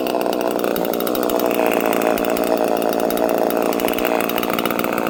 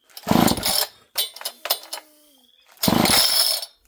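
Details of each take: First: Homelite chainsaw with no decompression valve, untuned and in mint condition, at fast idle. Steady buzzing two-stroke drone, even and unbroken with no surging or stalling; healthy normal running. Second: Homelite chainsaw, hard to pull over and of unknown running history, fails to start: several rasping pull-cord strokes with brief pops in between, but it never catches and runs. Cause not confirmed.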